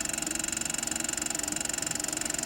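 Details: 1914 Victor Victrola VV-VI phonograph, first look before disassembly: motor runs steadily but a rapid rumbling pulse comes from dry oil and grease making the two mainspring coils stick and suddenly release and slip; springs need removing, cleaning and regreasing.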